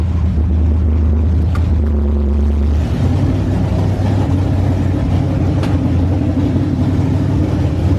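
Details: Freshly rebuilt truck engine at raised idle during break-in: deep steady rumble with a slightly uneven beat, number 1 cylinder not firing at only about 30 psi compression; stuck ring or head valves suspected, not confirmed.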